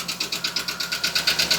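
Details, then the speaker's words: 2020 Ford F53 motorhome chassis, 7.3 L V8 gasoline, code P0301 cylinder 1 misfire, began knocking while driving. Listening at cylinder 1 at idle: sharp, even ticking at about eight per second over a quiet idle, pointing to a faulty valve on cylinder one. "Yo lo escucho este es el cilindro número 1. Como por aquí está el ruido, podemos decir, ¿verdad?"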